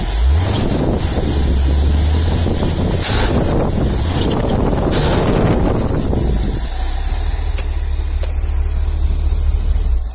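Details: 1978 Scout II 345 V8 with Holley 2210 carb, after the off-idle stall fix (power valve piston vacuum leak blocked, jets drilled to 0.041): the engine catches and settles into a steady, even idle with no stumble or stall, behind wind noise. It is a normal start and idle.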